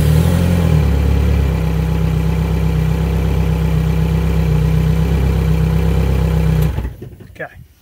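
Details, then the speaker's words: Outboard motor run briefly after new battery cabling to confirm its charger works: steady, even low drone with a smooth fast pulse, then a clean shutoff. Battery voltage rose to about 13 V, charging fine; normal running. "got us up to about 13 volts um just wanted to spin it off real quick and make sure we're charging all that stuff looks good"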